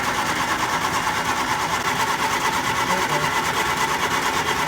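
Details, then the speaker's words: 1967 Triumph Spitfire Mk II cranking: even cranking at about two beats a second with no firing; little fuel comes from the disconnected line, so the fuel pump is presumed dead; crank no-start. "It's not much though. Yeah, no, it's not much. So I'm assuming that that pump is probably dead."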